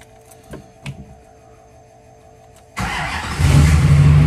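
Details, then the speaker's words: New fully built SoCal Diesel twin-turbo 1,000hp Duramax at first fire-up, after harness re-pinned per SoCal's instructions: brief crank, catches cleanly, steady even diesel rumble with no misfire or stumble; much better than previous night; normal idle. "oh that's way better that's way better than it was last night oh yeah it was not doing that last night"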